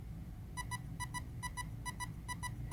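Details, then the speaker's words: Castle Creations ESC manual programming: evenly repeating pairs of short high beeps over a low motor hum confirm option one selected in menu two; releasing throttle gives three beeps. "that beeping is indicating that it has registered back as its option one releasing you'll hear three beeps"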